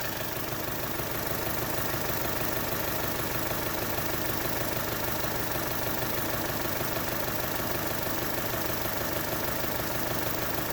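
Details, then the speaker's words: Chevy Cruze with code P0300 idling unevenly with a regular stumble about twice a second; testing cylinders in turn shows cylinder 4 misfiring, with no spark there. "Sobre el 4 es el que está dando misfire."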